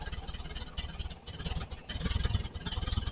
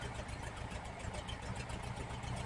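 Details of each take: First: 1968 VW Type 3 Squareback with original Bosch fuel injection: low, lumpy idle that won't rise with throttle, then a sharp pop back through the intake; intake backfire suspected from a massive vacuum leak at the intake manifold. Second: 1968 VW Type 3 with original Bosch fuel injection after readjusting the throttle switch (TPS), warm: low, even idle at about 850–860 rpm, very slight fluctuation, no knocks or misses; normal idle.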